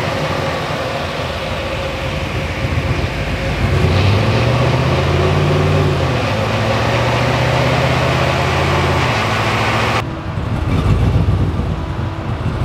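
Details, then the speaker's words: LS V8-swapped GQ Patrol with 6L80e, idling: uneven lumpy beat with a stumble every few revolutions; cylinder 6 misfire traced by swapping plugs to injector wiring or number six injector plug. "all right so a nice little exercise uh proved that it is an issue with the injector wiring or the wiring to number six injector plug"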